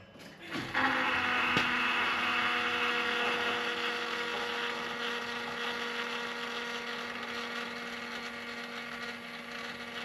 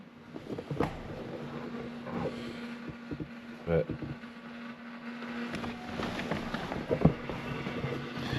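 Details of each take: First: 2016 Ford F250, after replacing the fuel filters, key cycled to prime: a steady high electric whine keeps humming; the fuel pump runs longer than it should, since the system should already be pressured up. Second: 2016 Ford F250 after fuel filter replacement, key cycled: faint, steady low hum as the lift pump primes fuel through the new filter; normal fuel pump priming.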